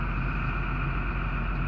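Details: Diesel engine just after replacing fuel filter pump: steady, even idle with smooth low rumble, no hunting, knocking or misfire; repair successful, engine running healthy.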